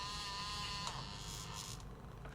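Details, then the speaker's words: Sony WM-EX505 walkman cassette mechanism, reassembled after oiling, in rewind: thin, high buzzing whir with faint rattling; suspects the big white gear wheel snapped out of place or two gears misaligned, not confirmed. "There is a strange noise. I'm afraid that the big white gear wheel has snapped out of its place, I think."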